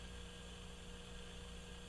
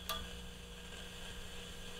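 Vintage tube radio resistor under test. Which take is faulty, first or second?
second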